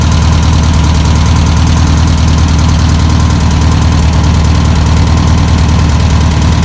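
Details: 1962 VW Type 2 van/bus, sat over 40 years, running off its own tank: steady, deep, slightly lumpy idle with an even low thrum, no knocks or squeals; normal idle.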